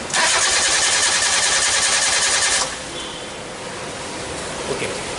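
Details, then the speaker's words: Nissan Sunny Y11 AD wagon after an engine swap, with an intermittent crank-no-start and code P0335. The starter cranks steadily with a rattly whirr whether the crank sensor is plugged in or not, but the engine never starts. "so it cranks but it's not starting it unplug so we're going to plug this back in"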